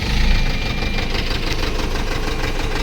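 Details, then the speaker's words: Force Motors diesel after fixing injector (nozzle) fault P0204 and cleaning ACM connector: loud, steady diesel clatter at idle, even on all cylinders, revs rising properly; normal idle. "RPM भी बिल्कुल हमारा सही उठ रहा है और सारा condition एकदम सही है और रेस भी हो रहा है और कोई दिक्कत नहीं है गाड़ी में।"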